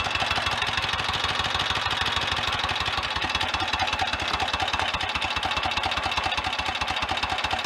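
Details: Royal Enfield 1000cc Model K V-twin after crank and main bearing rebuild, road-test stage, oil pump on setting two: low loping thump at slow idle, steady with top-end chatter; healthy idle.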